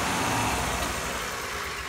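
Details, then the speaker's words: EZ-GO golf cart small engine with a new spark plug, started without choke, running rich: a steady even beat with no popping or backfire. The old plug sparked outside the engine but failed under compression. "so it's running rich but we're gonna see that the engine is functioning like it should where's the new spark plug I didn't even have to choke it"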